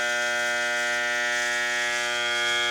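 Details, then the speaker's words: High-pressure washer motor, recorded at the fan: steady electrical buzzing hum with no spin-up, motor energized but not turning; cause is a burned start capacitor, and leaving it like this may burn the motor. Motor hums but fails to start. "para vocês ver que o motor não tá funcionando ele tá fazendo o barulho mas não tá funcionando olha"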